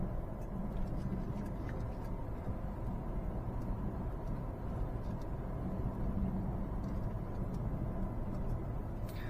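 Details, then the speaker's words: Peugeot 308 road test after the repair: steady low road rumble with no clunks over bumps. The suspension noise came from the anti-roll bar's short vertical link, and the lower control arm bushing had also failed; both front shock absorbers are dead. "异响应该是没了，我们就可以肯定啊，现在这个异响没了。"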